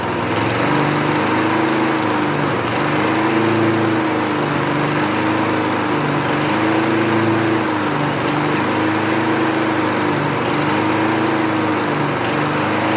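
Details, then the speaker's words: 1960s Roof push mower, trash-picked, running without air cleaner: engine drone rises and sags every couple of seconds, not consistently staying running; surging, cause suspected: too rich mixture, carb center bolt missing, or insufficient fuel to carb cavity. "not consistently staying running."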